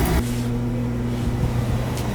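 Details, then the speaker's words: Oil furnace after service with a new nozzle: the recently replaced blower fan motor kicks in with a short rush, then holds a steady low hum with no rattle or scrape, a normal blower fan start. "There goes the fan. I have replaced the fan in this thing recently, the motor."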